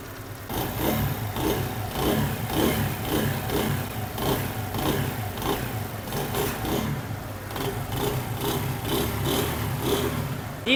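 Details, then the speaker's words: Motorcycle after complete timing chain replacement, fixing a noise that appeared on starting after standing a few hours: small single ticks over with a steady patter, no chain rattle or clatter on top; engine sound now fine. "Friends engine की आवाज जो है अल्हम्दुलिल्लाह बिल्कुल okay हो चुकी है"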